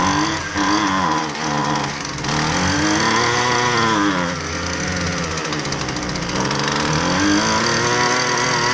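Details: Husqvarna 128LD string trimmer with an edger attachment, which the customer says only runs on half choke: small two-stroke revs unevenly, surging and sagging; fuel-starved, with fuel-related problems suspected.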